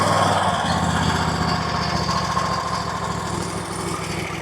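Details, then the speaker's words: RedMax zero-turn mower, Kawasaki V-twin, after carb tuning to cure surging, hunting and backfiring (compression tested, intake gaskets replaced): even steady beat about four pulses a second, no rise and fall in speed; runs smoothly, much better. "Alright, so my guy came yesterday, said he tuned the carb, so let's try this out. Wow. Wow, that runs so much better."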